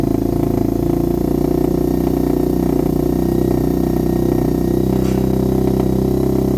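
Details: HMC 125cc single-cylinder motorcycle warming up before the first test ride after a valve fix, exhaust still needing sealing gum: even, steady idle with smooth regular beat, no ticking or knocking; runs healthy.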